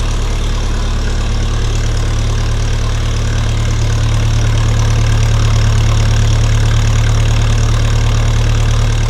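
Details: Restored 1952 Massey Ferguson TEA20 tractor with a rebuilt engine, new 12V alternator, battery, distributor cap, coil and hoses. Normal idle: a deep, steady hum that stays even throughout, with no knocks, misses or rattles.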